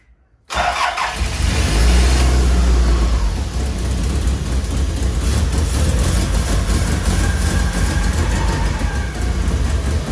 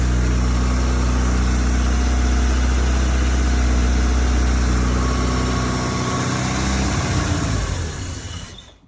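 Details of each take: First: Toyota Celica GT-Four home-built engine, first start, manually fuelled and probably running rich, no exhaust manifold gaskets on temporary install; catches and runs uneven and lumpy, note wavering, no smooth idle. Owner suspects old stale fuel in the tank being fed to the engine. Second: Toyota Celica GT-Four home-built engine restarted without brake cleaner, testing whether earlier trouble was bad fuel: low even idle holds several seconds, then sags and stalls; owner suspects remaining dirty fuel.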